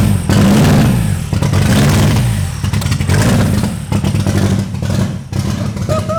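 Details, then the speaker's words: VW Mk2 with 1.8T engine from a Mk4 GTI, first start after a multi-year project, running with an open downpipe: loud, raw, rasping engine flaring and dropping with each throttle blip, barking unmuffled. "oh so that was opened down pipe obviously yeah dude three years later hell yeah"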